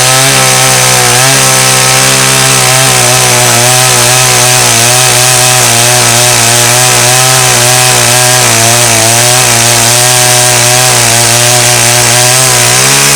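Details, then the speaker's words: Stihl 084 AV chainsaw, about 35 years old, restored, cutting a slab from a large Australian red gum: strong, steady high-pitched howl through the whole cut, barely dipping under load; healthy, powerful saw. "Well, that was actually no effort for the big old 084. Cut through that easy peasy."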